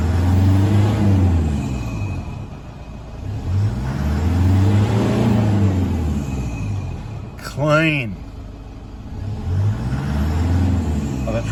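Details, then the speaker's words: 2009 Toyota Hilux 1KD-FTV D-4D diesel, 218,000 km, after replacing one faulty injector: revs rise cleanly through several blips and drop back to a steady idle with no misfire, knock or stumble. Normal revving after repair. "I'll shut up and let you listen to it now so you can compare it to last video I'll give it a REV"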